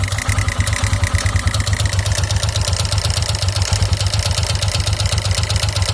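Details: 2009 KTM EXC 450 single-cylinder at idle, oil level checked: regular clack owner suspects is the cam chain tensioner plus an irregular metallic "tick tin tin" that sometimes stalls the engine and fades with throttle or warm-up; source unknown.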